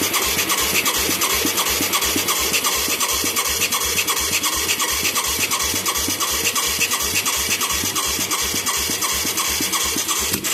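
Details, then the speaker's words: Mid-1980s Yamaha YFM200 Moto 4 ATV with a new carburetor and spark plug: steady rhythmic starter churning at about three turns a second, no firing. It has good spark, a soaking wet carburetor and good suction. Owner suspects a badly off air-fuel mixture or the wrong jet. Cranks but won't start. "I'm amazed we're not getting a pop here. We got good spark. We got soaking wet shit right here. Yeah, carburetors. We got good suction."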